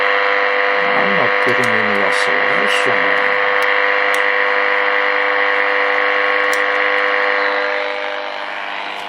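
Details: Early-1950s HMV Little Nipper Mark II radio after a failed repair attempt: steady buzzing hum with a few warbles while tuning, no stations received; oscillator not working, owner suspects the oscillator coil.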